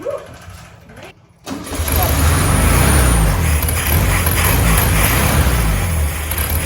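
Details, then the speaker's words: 1967 VW Beetle air-cooled flat-four, good compression, started after refitting carburetor and fuel pump: short crank, then it catches and settles into a steady, smooth idle. There is a lot of debris in the exhaust, but the engine sounds really good; normal running. "A lot of debris inside that exhaust system, but the engine itself actually sounds really, really good."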